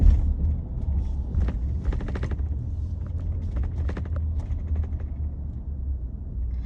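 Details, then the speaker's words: New 2021 Toyota Sienna, second-row seat, driving on a smooth road: steady road rumble with short bursts of buzzy rattling every second or so; seat vibrating, exact cause unclear, dealer visit planned. "hi guys i wanted to share a video about my 2021 toyota sienna second row seat making these vibrating sounds when i'm on the road i'm on a very smooth road right now but you'll still be able to hear it"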